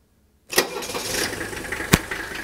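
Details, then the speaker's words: Older Mercedes diesel after the owner drove it about a week on new Monarch injector nozzles. It starts quickly and settles into an even clatter at idle. The earlier pulsating shake at idle is gone; some normal diesel vibration remains. "don't expect the diesel engine like this to be as smooth as a gasing but look at the difference sure there's some vibration here but we've eliminated that pulsating shake that you saw in part one"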